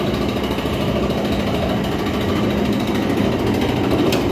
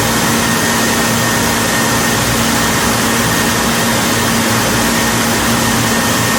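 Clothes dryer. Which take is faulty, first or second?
first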